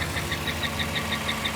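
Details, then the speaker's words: GM 5.3 LS V8 at 220,000 miles idling with the belt removed: sharp high chirps about six a second persist over the idle, so the squeak is not the belts and is suspected to be internal to the engine, not yet confirmed. "we still have that noise this is where we're at with this the condition is squeaky noise the cause it obviously isn't the belts"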